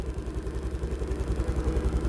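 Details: Honda Grazia BS6 scooter after fixing no-start after sitting overnight: light, regular single-cylinder putter at idle about eight pulses a second, steady; malfunction light off, runs normally.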